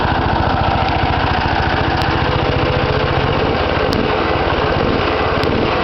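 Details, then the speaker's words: Home-built mini dozer's small single-cylinder engine running with a new small muffler, much quieter than the old one; smooth, even, soft exhaust note, no misses or knocks; owner thinks the muffler may be choking the motor slightly, unsure. "Let's crank it up and let you hear how quiet it is with this little bitty muffler. And like I say, I think it's choking the motor a little bit, but it may be all in my head."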